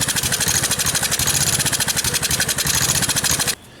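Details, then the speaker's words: Gravely tractor with a brand-new replacement carburetor, fresh battery and ethanol-troubled fuel chugs unevenly and loudly, then dies. Owner suspects fuel delivery: a pump not pumping or debris blocking flow. "Alright, so I got it running, but obviously there's a problem in the fuel delivery somehow. Either the fuel pump isn't pumping, or there's some trash in there or something."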